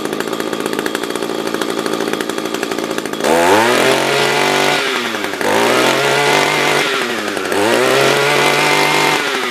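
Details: SRM-210 trimmer after carb replacement with new filter, plug, fresh gas and handle: crisp steady idle, then three clean rev-ups that climb quickly and drop back smoothly without bogging; normal idle and revving.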